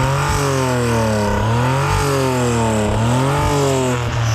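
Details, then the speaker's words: Suzuki Cara / Autozam AZ-1 engine running rough, surging and sagging instead of holding steady, due to a vacuum leak; tends to stall before being revved past that point. "Well, start it up. It's gonna run like shit because it's vacuum leak."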